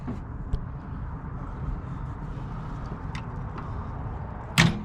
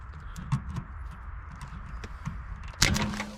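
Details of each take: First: 1967 Ford Galaxie 500 with 289 V8, first start attempt in about 35 years, new points and condenser: starter churns in short bursts, turning over without catching; crank no start, carburetor needs rebuilding for fuel problem. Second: Abandoned 1967 Ford Galaxie 500, unstarted for years, no fuel added: low rumble, then a sharp snap and brief whirring crank as the solenoid's hot side is jumped to the starter side.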